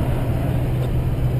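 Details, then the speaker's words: 2005 GMC Sierra 2500HD Duramax at 60 mph on the highway: steady low roar and rushing wind noise inside the cab at the driver's A-pillar, traced to bad driver door hinge pins and a loose window in the extended cab door. "I'm at 60 and you can already hear the wind noise coming in right about this a pillar"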